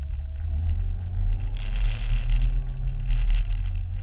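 Engine runs with a low, uneven beat and some wavering in level; something is clearly off, though the cause can't be pinned down.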